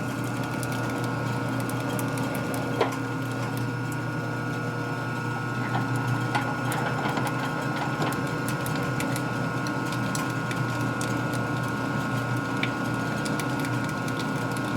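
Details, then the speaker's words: Lathe reaming 1958 Harley panhead 74ci riser, enough feed pressure applied: steady whir with scattered ticks of chips as reamer cuts cleanly; normal. "But I can hear it cutting again. See how it's cutting chips again?"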